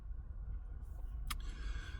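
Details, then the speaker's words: Camper van diesel at idle: low, even rumble with no rise and fall. It is not surging, the needle is level, and the earlier noise is gone. Owner suspects the earlier surging came from a bad batch of fuel from a garage. "It's idling. It's not surging. The needle's bang level. The engine on tick over is not making that noise. It's ticking over."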